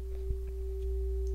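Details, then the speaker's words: 1937 RCA Victor 87t radio speaker reproducing an audio generator tone fed across the output transformer primary; field coil not energized so volume is low. Clean, steady mid-pitched tone, no buzz or rattle: speaker cone and voice coil working normally. "of course the field coil's not energized, so the volume is fairly low, but I think you can probably hear that."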